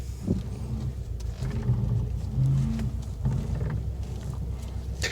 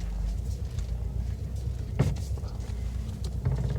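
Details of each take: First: 2018 Subaru WRX STI Spec R, steering wheel turned slowly on shiny concrete; low stuttering groan is normal tire chatter, not rack rattle or strut top bearing noise. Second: 2018 Subaru WRX STI Spec R idling with loose knocking clunks as the steering wheel is turned: steering rack rattle.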